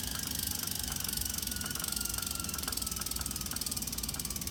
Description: During load (pedaling) or coasting (not pedaling) the smart trainer creates an extremely loud distorted noise that wasn’t heard before.